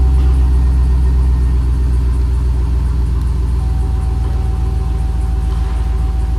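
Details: 2005 Chevrolet SSR with 6.0L LS2 V8, automatic, 175,000 miles: deep, steady rumble settling into an even idle with no knocks or misses; engine sounds healthy, runs and drives.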